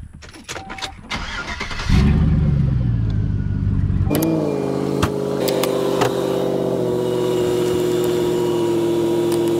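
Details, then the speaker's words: Abandoned 1991 wide-body 1.6L Mazda Miata on a borrowed battery boosted by truck jumper cables: the starter drags the engine over slowly with a labouring drone; the battery may be dead, and the owner wonders if the engine is locking up. "it almost sounds like like it's a time like it's locking up i don't know we're gonna wait till we've got enough juice to actually have a crank over though"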